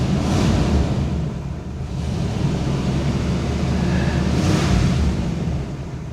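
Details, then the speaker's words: 1979 Cadillac Coupe DeVille, restarted after a carburetor swap: a low, lumpy rumble that surges and sags as if about to stall. Owner thinks the choke may need to open up; cause unconfirmed. "There we go. I think that choke may need may need to open up. Oh, come on. Don't start this again."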